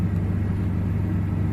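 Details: 2002 Chevy S-10 Xtreme after oxygen sensor (bank 1 sensor 1) replacement and code clear; deep, even rumble with smooth steady beat, no stumbles, no check engine light: normal idle.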